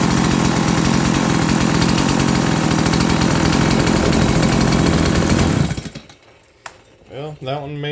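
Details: Stihl MS170 chainsaw, no-start because out of fuel, running on external fuel: small two-stroke revs high and steady with even buzzing note for several seconds, then cuts out; runs fine on fuel.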